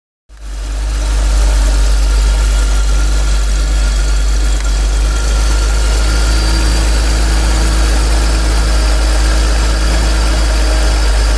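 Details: BMW E46 328Ci M52B28TU petrol engine idling after replacing worn spark plugs (cylinder 5 plug was loose, causing knocking): steady even idle, low hum, no knocking or ticking.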